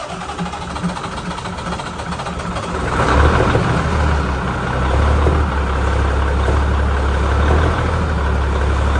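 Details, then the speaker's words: Ford L9000 diesel truck with a new gear-reduction starter and new battery cables, on two good and two low batteries: a brief crank, firing at about three seconds, then a steady, even, deep idle with no knocks or misses. "now this is might spin a little slower because I did kill two of my batteries on another truck long story so I got two good ones and two low ones but that ought to spend this especially with this new starter and brand new cables"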